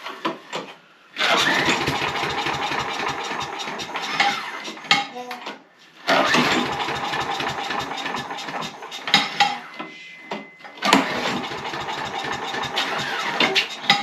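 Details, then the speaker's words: Small pull-start engine, oil checked good, started with a little choke: catches quickly and settles into a steady high-pitched buzz, stops and restarts cleanly; starts easily and runs fine. "So I'm thinking we just fire it up and listen to her run. Turn it on. Let's see if she'll fire right up."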